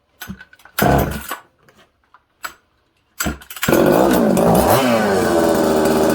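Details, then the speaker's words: Newly built 266 chainsaw, first start: the idle surges and sags unevenly and is hard to keep and tune. Slow return from revs suggests an air leak. Lean idle. "you can hear it it's not idling good it's hard to keep idling it's hard to tune it's just all over the place"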